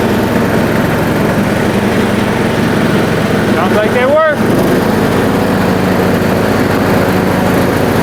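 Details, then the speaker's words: John Deere D110 mower with its new blade belt, blade brakes left off, blades engaged: steady, even engine drone under load with a brief chirp mid-run. Holds speed fine. "Seems like it's working just fine without them blade brakes on there, because the dang things don't seem to ever last very long."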